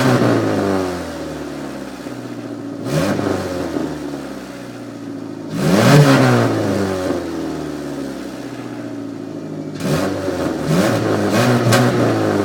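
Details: Car engine revving: a loud, raspy blatting that rises and falls with each rev, with a harsh puffing edge. The cause is an exhaust leak at a loose muffler, which was being cut off but was stuck on a rusty stripped bolt.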